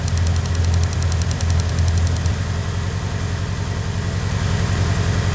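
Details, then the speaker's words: Tommy Mackinnon Evo, unused about a year, hard starting and rough idle, number 3 plug wet: uneven, lumpy idle with loping thump; screwdriver stethoscope test hears no clicking from injector 3, misfire from dead fuel injector. "I listen to each injector, but there's no clicking sound coming from injector number 3. So the long screwdriver test shows that number 3 injector is not working properly."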